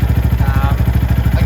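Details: Venom X22R Max 250cc fuel-injected single-cylinder motorcycle after the throttle body idle screw was briefly turned up and set back to where the idle should be. Steady, even thump at roughly twelve pulses a second with no misses or surging. Normal idle.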